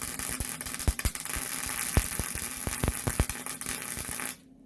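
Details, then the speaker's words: MIG welding at the same amperage with wire feed speed raised to maximum: a steady hard arc crackle with irregular loud pops and bangs, then silence at the stop; wire feed too fast for the amperage. "jadi kami akan menjaganya sekarang pada arus listrik yang sama tetapi memaksimalkan laju hingga maksimal dengan pengumpanan kawat dengan kecepatan yang sama dan semua"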